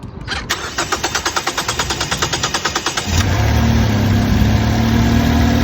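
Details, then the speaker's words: 2010 Ford Fusion after throttle body replacement and cleaned, greased electrical connectors: starter cranks about three turns per second for three seconds, then catches and settles into a steady, even idle, sounding a lot better, engine light off; normal start and idle. "It sounds a lot better. Sounds a lot better. Yes, it does."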